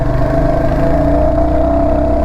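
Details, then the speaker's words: Royal Enfield Hunter 350 single-cylinder engine noise that began after its 3rd service: steady thump with a faint clatter and a mid-pitch ring on top; the owner doesn't know the source and plans to have it checked. "य आप सुन रहे य से यहां से आवाज आ रहा है पता नहीं क्या आवाज है य तो मेरे को जाके चेक करवाना पड़ेगा शायद देखो ऐसा आवाज नहीं आना चाहिए ना"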